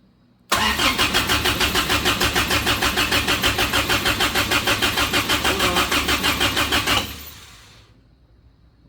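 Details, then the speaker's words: Suzuki Samurai rock crawler engine newly converted to propane: cranks evenly about three beats a second for six seconds without catching; a manifold port plug left out causes no vacuum. "there's a plug that goes right here that I did not put in when I was putting all the fittings in so again no vacuum and yeah sometimes you just need to slow down uh and take your time yeah so that is the plug that goes in right here creating all of my problems"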